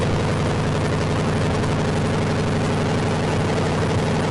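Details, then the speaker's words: AMC 360 5.9L V8 swap in 1976 AMC Gremlin, start attempt with fluids filled: fast, even idle with no drop back, because throttle linkage doesn't return. High idle from sticking throttle linkage. "Throttle don't return. That's why it was high."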